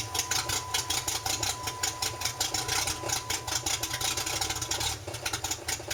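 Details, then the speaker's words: Drift Jeep sat three months after being flooded with water, with a dead battery and a broken check valve, being purged: fast, even starter pulses of about five a second go on without catching. The owner thinks he's flooding it; it eventually starts. "Okay, I think I'm flooding it."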